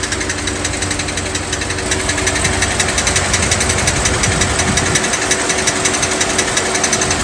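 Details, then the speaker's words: 2007 Chevy Suburban 6.0 LS V8, running in gear, about a year after a rear main seal job: rapid, sharp snapping clicks locked to engine speed from the cracked flexplate flexing at its fracture. "I want to note that noise you heard when the vehicle was running coming from the flex plate it's the metal or that fracture flexing back on itself making a noise similar to you snapping your fingers to make them pop but just at a rapid speed"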